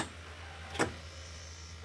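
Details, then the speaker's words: 2007 Blue Bird school bus with Cummins engine, key turned to start: two sharp clicks about a second apart, dash lights go out, no cranking; faulty corroded, waterlogged starter relay. "And there's a clicking sound coming from this area. So let me try to crank it once again."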